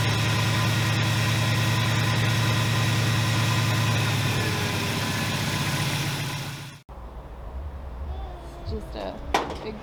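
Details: 1981 Buick LeSabre with 307 Olds V8 (200 transmission) idles deep and lumpy, thumping about 200 beats a minute for roughly seven seconds, still rough after battery reinstalled; owner suspects a vacuum leak, unconfirmed.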